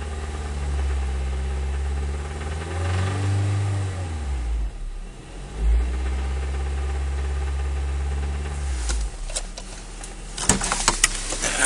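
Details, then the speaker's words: Acura RSX Type S petrol engine at normal operating temperature, idling and revved, with sharp metallic knocks showing through, especially toward the end; owner says it doesn't knock on a cold start, only once warm. "this is um on regular cold start doesn't knock but as soon as you get to normal operating temperatures um it knocks and stuff"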